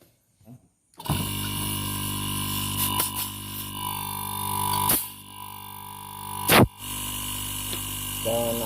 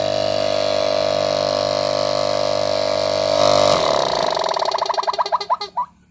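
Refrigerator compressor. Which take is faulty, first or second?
second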